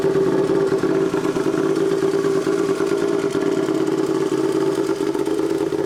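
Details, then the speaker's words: Royal Enfield, tuned custom build, just started and warming at idle: steady even mid-pitched drone, no misses, quieter than expected; normal idle. "Je m'attendais à pire au niveau du volume sonore. Ouais, mais après, on est qu'au ralenti, ouais."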